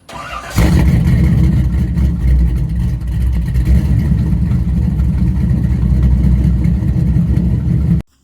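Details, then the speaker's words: Chevy C10 truck with big block Chevy V8, morning cold start: deep, lumpy rumble catches and holds steady with a few rev blips before cutting off; healthy cold-running engine. "Y'all hear that big block? It's alive! It's alive! Y'all hear that big block, don't you? You heard? Cold start."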